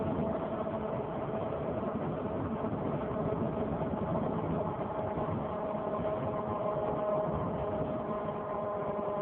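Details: 2003 Saturn Vue 4-cylinder AWD with check engine and coolant lights on (coolant fine): steady roar with a thin whine near 650 Hz from the front driver wheel area that follows tire speed; hub already replaced without fixing it, cause unknown.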